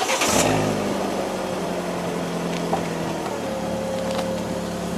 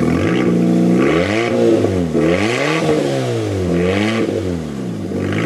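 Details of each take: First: Fiat 500 after DIY exhaust and back box replacement, joints tightened and checked for clearance: engine starts and settles to an even idle, no leaks or rattles; exhaust sounds normal. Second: Fiat 500 that broke down sounding like a hot rod and would not exceed 40 mph: exhaust failed at the rear back box, effectively a delete. Revved up and down with a loud, raspy roar swelling on each blip; exhaust leak before replacement.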